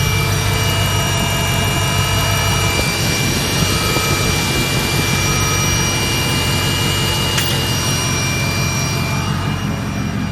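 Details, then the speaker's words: 200K-mile Mercedes W210 E55 AMG after replacing idler pulley that caused a whining noise; steady loud even engine roar with no whine or chirp from belt side, appears fixed. "I'm happy to report it sounds like I think it fixed it so it was just that idler pulley all along"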